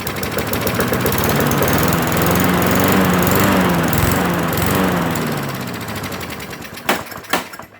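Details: Mower stored four years: uneven, lumpy firing with irregular stumbles and surges, dying with sharp pops, heavy smoke; rough running, cause not confirmed.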